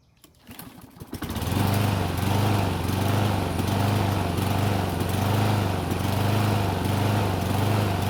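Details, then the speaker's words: Unmaintained Toro mower, cold start before repairs: catches on the fifth pull, then revs hunt up and down roughly once a second for about eight seconds before clearing; hard starting and surging, with a hard-to-hear miss. "as you just saw it took the fifth pole to finally start it and once started it was searching for about eight seconds at which point it cleared up"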